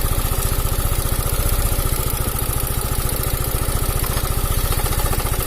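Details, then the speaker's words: Italian 250cc automatic scooter, after repairing a no-run fault: a steady idle of about three to four beats a second with a coarse, uneven edge over the thump. The rough sound is suspected to be the cam chain (rantai keteng). "tapi itu arah agak kasar kawan ya ini suaranya agak kasar ini enggak pemilik"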